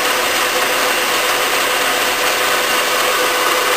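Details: Bridgeport milling machine variable-speed head running and changing speed: steady, even whir with no knocks, rattles or grinding; the spindle drive runs smoothly.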